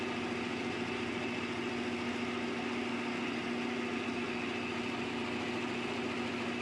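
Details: Restored vintage Delta Rockwell 15-665 drill press after motor reshimming: smooth, steady motor hum with a constant mid-pitched tone, no knocking, rattle or grinding; runs healthy.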